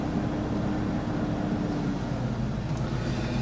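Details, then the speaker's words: 1994 Ford F700 flatbed, 429 (7.0 L) gas V8, still cold: idle hangs around 1200 rpm for a long time before dropping, with hesitation off idle and a suspected single-cylinder misfire; high idle, slow return to idle. "and then i notice it has a hard time coming back down down to idle it'll hang there about 1200 rpm for for a long time before it shuts back down"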